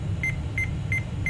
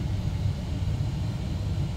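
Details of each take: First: AMI BIOS seven-beep POST error from a mystery i486 DX2 tower with turbo engaged: short sharp high beeps repeating about three times a second over steady fan hum. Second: Mystery 486 tower PC with Intel i486 DX2, American Megatrends BIOS previously giving 3-beep and 8-beep codes, turbo off: steady low fan hum, no beeps; normal POST boot with wonky display, flashing bars and cursor.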